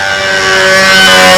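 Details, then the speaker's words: Model engine with 220 venturi, on the first needle setting, during break-in: high steady screaming whine holding even pitch with a slight rise, no sag or sputter; mixture about right. "that's just about right even on the first needle setting"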